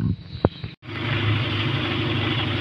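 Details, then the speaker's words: Kia Pride after cleaning carbon from the burnt high-tension wire and spark plug, which caused the misfire; wire still due for replacement: steady, even idle with no stumbles or misses, now running smoothly. "talagang pino siya Gwapo na yung andar niya kasi ang problema talaga dito sa high tension wire"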